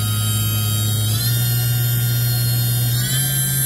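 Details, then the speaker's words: Hitachi VS40 spindle break-in after a new top tapered roller bearing: spun up from 4% load through 6,000 to 8,000 rpm at 20% load, no heat; smooth high whine stepping cleanly up in pitch, no rumble, grind or knocking. "9,000 oh excuse me 8,000 a minut so at 8,000 I got 20% on the load meter no heat sounds good"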